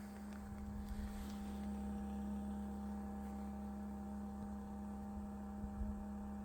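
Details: Bison hand water pump, low steady groaning drone with faint buzz for several seconds after pumping stops and water drains at the freeze line drain hole, mostly below 50°F; cause unknown; groaning noise after pumping stops.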